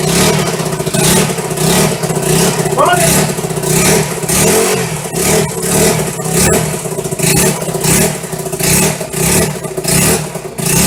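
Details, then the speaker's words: Restored 1974 Honda XR75 single-cylinder, first start after two years of restoration, choke off, on fresh non-ethanol high-test fuel, clutch out of adjustment: repeated clean blips revving up and back to idle; normal running. "Look at that. Clutch is working, needs to be adjusted. She wants to go. RPM, sitting there banging them off."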